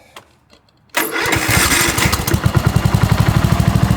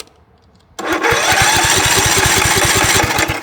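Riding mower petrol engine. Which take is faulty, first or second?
second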